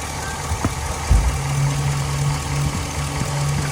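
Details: Old Chevy truck with lean codes after split vacuum hose found via brake cleaner spray and patched with new hose, fuel trims now negative; smooth steady idle, no hunting or hiss.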